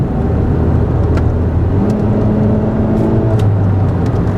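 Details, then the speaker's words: Used-car inspection test drive, accelerating through the gears. Engine pulls steadily over road noise with smooth pitch changes and no thump, flare or shudder between gears; the transmission shifts properly. "so uh I can tell here no shuttering it's shifting properly"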